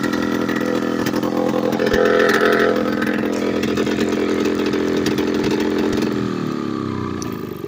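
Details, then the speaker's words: Late-1990s Polaris Explorer two-stroke ATV run two years with exhaust removed: loud raw unmuffled blare holding high idle then dropping in pitch; idles so high it won't shift into high gear, runs erratically. "from what I've learned now that the exhaust is off of it has caused it to run somewhat erratically and a lot of the time it idles high so high that it will not shift in the high"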